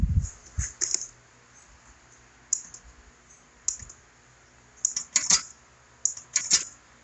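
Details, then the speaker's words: Linear actuator on a control box, extended fully and won't retract: irregular sharp clicks in bursts with no motor run between them; another actuator on the box never moved; cause not yet found. "It won't come back down. Sits there and clicks. Won't do anything."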